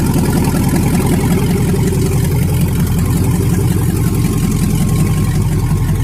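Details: 1999 Yukon 5.3 V8 on its first start after the computer came back, mass airflow sensor not yet connected: loud, deep idle through open pipes, steady with slight lope, no knocks or ticks; good oil pressure, running fine.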